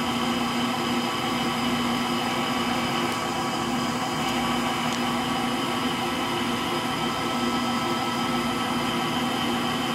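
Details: Frigidaire Gallery front-load washer GLTF1670AS1 final spin with bad motor bearings: steady whirring drone with a rough, grainy roar underneath, no knocking, likened to a Pratt & Whitney JT8D jet engine.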